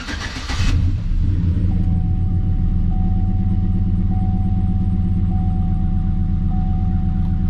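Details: 2007 Chevrolet Silverado with a misfire complaint, scan data showing high misfire counts on cylinders 1, 5, 6 and 7: cranks and catches, then idles with a slightly uneven low pulse and faint ticking; rough idle.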